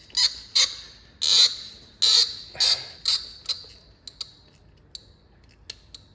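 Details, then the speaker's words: BMW 3.0L diesel glow plug removal, with penetrating lube soaking the threads: sharp high-pitched creaks and squeals in short bursts about once a second, then fading as it loosens. Seized glow plug being forced out. "but cylinder 1 made so many creaky Snappy noises that I genuinely had a heart attack I might set the tripod up so you can hear these uh noises coming off the spark plugs glow plugs as I undo them"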